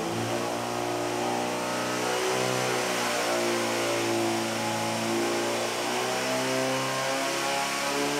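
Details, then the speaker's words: Modified Pontiac Fiero 2.5 Iron Duke (stock 92 hp) with custom-ground cam and 500 cfm two-barrel, on dyno at full load: engine note climbs then wavers up and down, surging; noted with low timing, 30 degrees judged best (220 at 30). "it didn't it was kind of surging i thought i felt yeah you could hear it a little up and down there"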